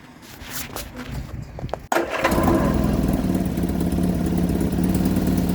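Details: 1975 Vauxhall Viva HC, off the road since 1991, after carburetor work, first start attempt after connecting battery: couple of seconds cranking, then catches and settles into even steady idle while warming up; normal idle.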